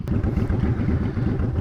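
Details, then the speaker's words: Honda Shadow V-twin on stock exhaust, before fitting Cobra Streetrod Slashdown, idling, recorded from about ten feet away: steady, loping idle with even low thumps and no ticks or rattles; normal idle. "all right guys there's what we look like stock there's always sound like from about ten feet away just idling"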